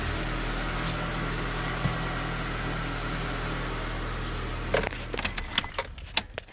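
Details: 1998–2002 Honda Accord 4-cylinder after power steering pump replacement: steady low idle with no whine riding on it, then handling clatter near the end; the new pump runs quiet.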